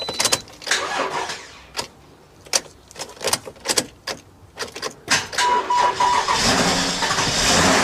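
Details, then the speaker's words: Car started with a jump starter connected during a battery and alternator charging-system check: several short cranking bursts, then catches and settles into a steady run; normal cranking and start. "So, now I'm going to start up the vehicle."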